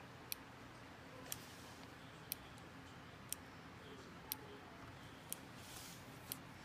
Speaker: nds and you'll just hear it clicking and again you want them in proximity